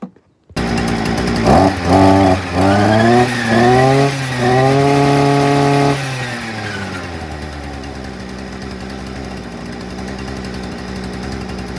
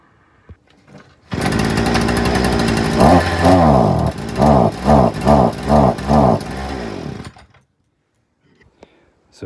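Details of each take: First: Hyundai two-stroke multi-tool/brushcutter, previously bogging and not revving past idle, after a quarter-turn out of the carburettor mixture screw: blips up in quick bursts, holds a clean high scream, settles to steady idle — normal running. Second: Hyundai two-stroke multi-tool (brush cutter) idles, then each throttle blip sags back instead of revving; won't rev past idle, fixed by turning the carburettor mixture screw out a quarter turn.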